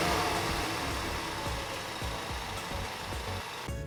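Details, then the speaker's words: 2015-2021 Mustang EcoBoost with Turbosmart EM series blow-off valve, heard from outside: loud rush of air on throttle lift trailing away as revs drop; aftermarket blow-off valve venting as it should. "now let's get you some footage of what the valve sounds like in action and we're gonna put that in right now"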